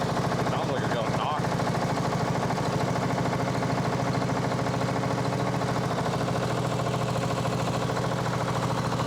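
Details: Sabre 1438 riding mower (made by John Deere), first run after a new fuel valve, filter, plug and elbow. Steady idle with a fast, even clatter over the firing beat: engine rattle, owner suspects a loose flywheel, not confirmed.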